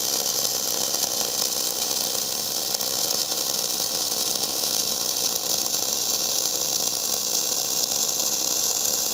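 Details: Gas-shielded flux-cored arc welding (FCAW-G) on oily coupons: steady, soft frying hiss with no crackle, spatter pops or breaks, a smooth, well-set arc, less smoky than self-shielded.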